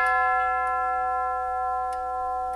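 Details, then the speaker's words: Tube gong grandfather clock on a test stand after hammer leather pad refurbish: the hour tube, a longer pipe, rings clear with a long sustain. It may be slightly tinny but not too bad; normal. "Yeah, that one might have been a little tingy, but not too bad. It is supposed to is a longer pipe."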